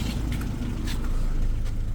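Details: Volkswagen Passat that had shaken and stalled, no engine fault codes found, restarted after work: even, settled idle with deep steady hum, revs slightly raised but constant, no hunting or shaking; running right.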